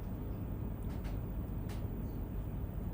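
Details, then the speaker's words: Reclaim hot water heat pump compressor running: steady, even low hum with no knocks or rattles; sounds healthy and quieter than the iStore unit. "Here's the Reclaim compressor when"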